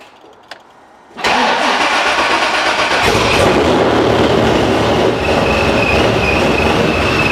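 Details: 441 LSX C6 Z06 with F-1X ProCharger, Holley EFI, ARH headers and straight-pipe exhaust, tuned on E85/methanol, first start-up: catches immediately into a loud, fast, even idle with a faint steady whine; engine light on, evap delete suspected.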